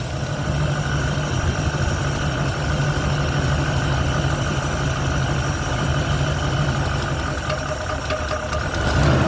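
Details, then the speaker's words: 1971 Ford Torino, rebuilt 302 V8 with C4, after idle mixture screws adjusted evenly on carburetor (was a little lean): even, steady idle with smooth low rumble, no misses or knocks, light rev at end; runs clean. "Well, I don't think it's going to run any better than that, guys. That's about as smooth as it's going to get."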